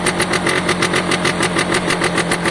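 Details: Piaggio Diesis 100cc two-stroke scooter idling, oil pump confirmed pulsing: steady idle with sharp puffing tick each firing pulse; small hole in exhaust seen, another leak heard but not located.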